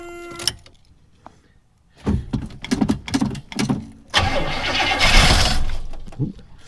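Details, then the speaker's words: Buick estate car off the road since 2009, about 13 years sitting, cold start in snowy weather: short cranking bursts, then a longer crank that almost catches and sputters but never settles into running. "she did just try to start though so again like i said it's more important to have these things snap fire"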